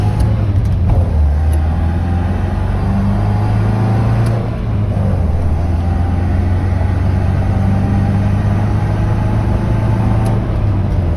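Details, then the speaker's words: 1966 Volvo Amazon P121, fully loaded, leaky differential, cruising French highway: steady, even low engine drone with road rumble, no surging, knocking or misses; car running great at cruise. "Car was just running great. Just cruising along."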